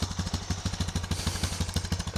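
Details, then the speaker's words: 2002 Honda TRX250EX five-speed semi-automatic quad, revived after 10 years outside, after the work: starts with no problem and settles into a steady, even single-cylinder thump with no knocks or misses, sounding better than before. Normal idle. "check this thing out alrighty wrong here check this thing out starts up no problem"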